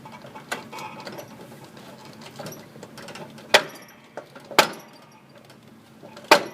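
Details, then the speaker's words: Riding lawn mower steering gear, heard from underneath with the deck removed, pops sharply as the wheel is turned. The small steering-shaft pinion travels across the larger sector gear instead of staying put, circling its teeth rather than engaging them. "As I'm turning the steering wheel left and right, small gear is traveling across larger gear, and it should be stationary. But since it's being allowed to travel, it's circling the gear teeth rather than engaging the gear teeth."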